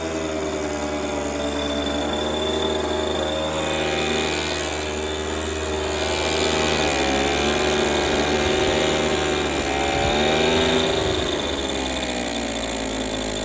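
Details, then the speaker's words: Echo PB230LN older handheld two-stroke blower that wouldn't rev up, running with a rock-hard purge bulb after new fuel line and filter; steady buzz revving up and down cleanly without bogging or cutting out; seems to run all right. "Yeah, it's all right. Seems good. The bulb is full, but it just see. It's going. It's working."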